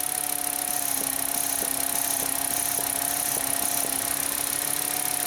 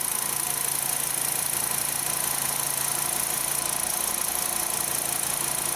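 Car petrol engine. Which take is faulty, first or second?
second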